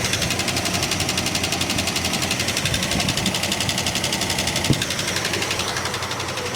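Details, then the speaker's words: 1967 Plymouth Barracuda, misfiring, idling: sharp, evenly spaced ticking about four times a second, likened to a chaff cutter, louder from one side, a persistent top-end tick being traced to a cylinder. "Sounds like a chaff cutter."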